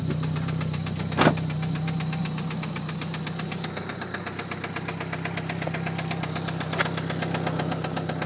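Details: 1997 Mitsubishi Eclipse GST at idle; steady light ticking about four per second over even idle; knocking/ticking noise, owner asks what causes it, unconfirmed.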